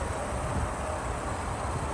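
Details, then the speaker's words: 2007 Lexus RX 350, 2GR-FE 3.5L V6 after timing chain and exhaust VVT gear replacement, reassembled: low steady hum, no ticking or knocking, idles smooth and quiet with no codes; timing confirmed correct. "check it out the engine's running real smooth real quiet no codes this thing runs"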